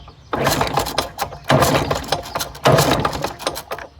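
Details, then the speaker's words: 1969 Lawn-Boy bricktop model 3055 two-stroke, sitting for years, fired on carb cleaner sprayed into the carburettor with lubricant in the cylinder: rough sputtering bursts catch and fade several times, smoking, coming back to life. "She's smoking. Oh yeah, she's gonna live. She is gonna live."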